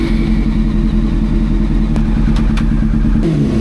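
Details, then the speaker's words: Old four-carb motorcycle after carb balancing, exhaust off: lumpy, uneven idle with a low throb that never settles; split vacuum pipe leaking air on cylinder four, also suspected cause of earlier random flames. "we got V leak on number four which is obviously offsetting why it start to [ __ ] run like this"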